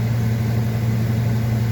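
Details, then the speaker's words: 2005 Ford F250 6.8L Triton V10 3-valve at 599,000 miles, which will not accelerate; the idle hum has a slightly uneven pulse from a misfire, code P0354, cylinder 4 coil circuit, traced to a faulty coil connector. "whoa look at there 599 000 miles she definitely got a miss"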